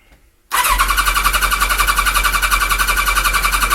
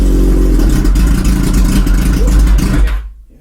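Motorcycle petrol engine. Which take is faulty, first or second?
first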